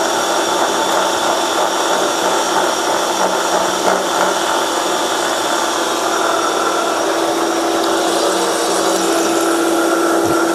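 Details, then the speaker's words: Milling a vee block from hardened old forklift tine with carbide cutters, an angle cutter, coolant, 1 mm depth of cut: loud harsh cutting roar with ringing tone and uneven chatter, louder with deeper cuts, caused by cheap out-of-round Chinese arbor runout. "my cheap Chinese Arbor what you can hear it have some run out in it and as these cuts get deeper this thing gets louder because of the way the the Arbor is out of round you only have a few hit and so then it starts kind of chattering a little bit"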